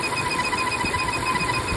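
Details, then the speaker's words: Volvo engine at idle: constant high thin whistling chirp over smooth idle, easily mistaken for a pulley or alternator; vacuum where there should be none indicates a failed PCV valve whining. "La mejor forma es verificar si aquí hay back o no. No debería haber backum aquí. Si lo hay, remuevan la tapadera y vean se fue el sonido. Eso significa que el PCB valmente."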